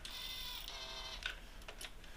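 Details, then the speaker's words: Yamaha DT125 YPVS power valve, suspected stuck halfway causing poor bottom and top end; after flipping the cable wheel, key-on gives a short high motor whine then light clicks: servo self-check sweeps normally. "so what i'll do is pull the little cable wheel thing off and we'll flip it around and hopefully the power valve does what it should we have success if you watch this when i flick the ignition"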